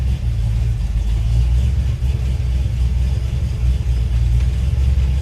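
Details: 1978 Ford F100 Ranger XLT, 351W V8, 2WD, AOD automatic, possibly Cherry Bomb glasspacks, owner suspects an aftermarket cam: idling after cold start, loud deep slightly choppy rumble pulsing about four times a second; steady, normal.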